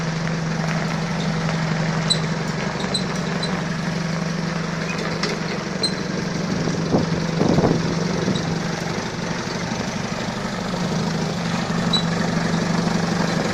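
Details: Balkancar diesel forklift after repair, with engine, clutch, brakes and running gear overhauled; the hour meter has long been broken. Steady, even idle with a constant low hum, no knocks or misses; it sounds healthy and fresh.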